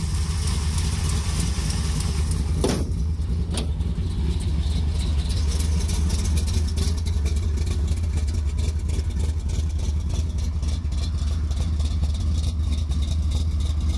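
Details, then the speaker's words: 1973 Plymouth Satellite Sebring Plus with 451 stroker big-block V8, warming up with good oil pressure: deep, steady, lumpy idle with no misses or knocks; healthy. "right now we just let it warm up and this be a success"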